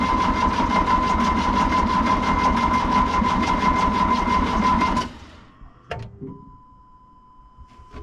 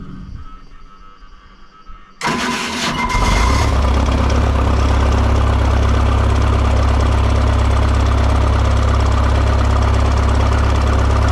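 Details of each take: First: Excavator diesel after sitting a couple of months, fuel system had lost prime with air in it, no exhaust smoke: cranks about five seconds without firing. The engine stop motor is suspected seized partly closed, shutting fuel off at the injection pump. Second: Diesel excavator that wouldn't start after sitting for months, fuel system reprimed and a seized engine stop motor pulled free to the run position: cranks briefly, catches at once and settles into a steady, even idle.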